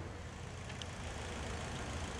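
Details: 2012 Toyota Corolla 2.0, check-engine light on, scanner showing cylinder misfire: low steady idle rumble with a slightly uneven beat underneath; one cylinder dropping out, scope pattern abnormal on cylinder 2.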